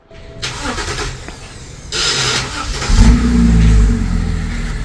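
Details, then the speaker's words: 2012 BMW X6 during restoration, first run after swapping the N57 diesel for a petrol engine: catches, revs and settles into an even run with no knocks or rattles; sounds healthy, though petrol fueling problems came later. "So um this is what it sounds like after we installed the engine."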